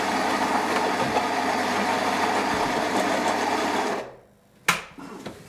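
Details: Philips 3300 superautomatic espresso machine grinding at maximum bean amount for an espresso test: steady high buzzing grind for about four seconds, then a clean cutoff; an even, healthy bean grinder run.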